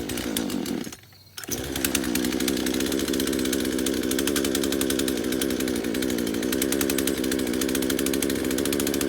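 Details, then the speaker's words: Craftsman chainsaw started for the first time after about five years sitting in a shed, on residual fuel; runs rough with a wavering, hunting buzz, revs surging and sagging; it seems to have trouble picking up fuel and only runs with the choke on. "all right so it's like it's having trouble picking up fuel"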